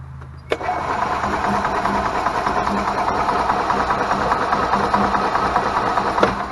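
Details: Club Car gas golf cart cranking on pedal press: steady rhythmic cranking, two to three turns a second, never catching; no spark, traced to a failed RPM limiter box rather than the ignition coil.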